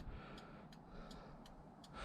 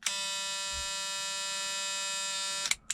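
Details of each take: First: Ford Fiesta XR2 Mk2, long unused, exterior lights being repaired: crisp, evenly spaced ticks about every third of a second over a low hum with hazards on; flasher relay cycling normally, brake lights flicker slightly with hazards. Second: Ford Fiesta MK2 XR2 exterior lights test: steady electric buzz instead of flasher clicking when hazards switched on; faulty hazard relay.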